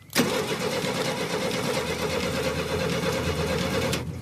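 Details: Classic Pontiac that sat about 30 years, after a new ignition contact set was fitted: the starter turns the engine over steadily and evenly for about four seconds, with no grinding or binding. Normal cranking.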